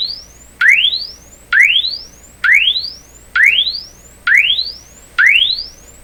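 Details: RCA Victor 67V1 console radio audio amplifier, before replacing its paper audio capacitors: rising signal-generator sweeps repeat about once a second through an uncased speaker, with no buzz, rattle or breakup; normal frequency response.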